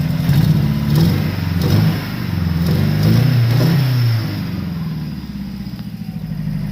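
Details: RX-7 with swapped SR20VET engine, after a hard pull to near redline (~7,500 rpm) and a shift into 6th: uneven, lumpy revving with clattery beat, stumbling low end and a missing cylinder; rod knock, engine blown.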